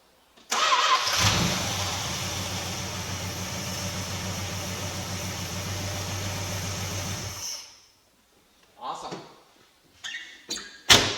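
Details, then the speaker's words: Hot start of a 383 V8 in a 1966 Plymouth Fury, just converted from a Holley 4-barrel and Edelbrock intake to a factory cast-iron intake and Carter 2-barrel; quick crank catches immediately, steady even idle, shuts off cleanly without dieseling. Engine sounds good. "Doesn't diesel, starts up nice. Engine sounds good."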